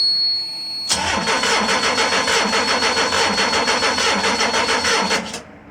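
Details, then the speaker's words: Twin Cummins B-series marine diesel in a Navy jet boat that needs ether to start and dies below full throttle; it cranks at about 3.5 beats a second with a lopsided, stumbling rhythm, indicating little or no compression on at least one cylinder. "You hear that? That stunt means she's got little or no compression on at least one cylinder. That seems pretty bad."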